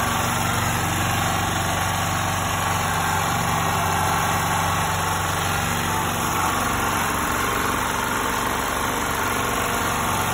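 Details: 2.8 kVA Fireman gasoline generator that refused to start, after resetting the excessive valve clearance: small engine settles into a steady, even idle, smooth regular beat, no ticking or misses; normal idle.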